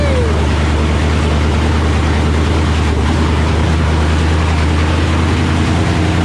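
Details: 1984 Fox-body Mustang with swapped Gen II Coyote V8 from a 2017 Mustang GT, just fired up, no coolant yet; deep, even V8 burble at idle, steady low rumble, no knocks or misses, sounds good — normal idle.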